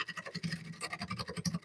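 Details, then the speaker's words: Wood lathe turning a bowl blank at about 700 rpm: rapid scratchy rattling chatter bursts as the tool passes over a large hole in the wood, from an interrupted cut. "See, you hear that chatter? We're going over that hole"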